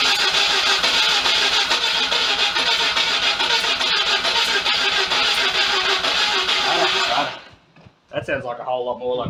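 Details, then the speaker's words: Mazda FC RX-7 project after wiring work and a timing-light check: quick, even cranking at about three and a half beats per second with stronger firing kicks that never catch. Cranking with partial firing but no start; it seems very close to running. "it's very close it does want to"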